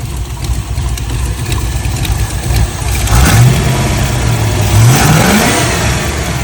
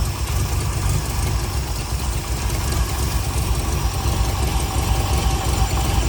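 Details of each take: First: MGB GT with Rover V8, ignition advance set with strobe lamp and idle lowered; sharp throttle blips rise cleanly without stalling, previously stalled on every hard blip; normal revving. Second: MGB GT with Rover V8, on choke during strobe-light timing check: deep idle with lumpy uneven beat stumbling now and then; insufficient ignition advance, distributor to be rotated.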